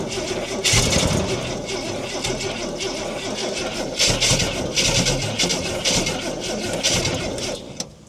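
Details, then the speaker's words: About 1968 Ford Falcon six-cylinder petrol, 20,000 original miles, parked since 1990, fuel tipped into carburetor bowl, cold windy day: catches and runs ragged, surging several seconds then dies; suspected it ran off the bowl or a blocked jet. "So she might have run off that bowl. She might have a blocked jet or something."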